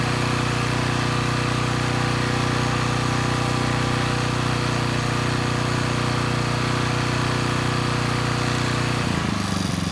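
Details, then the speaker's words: Coleman Powermate Pulse 1850 generator (PM0401850, 1996 engine 93412-0136-01) after carburetor repair, unloaded in driveway, speed targeted at 61.5–62 Hz; steady even drone with mild pulsing beat, no hunting, dropping off near end, normal running; needle may leak a little fuel. "so let's say the carburetor issues are sorted out the engine's running pretty well"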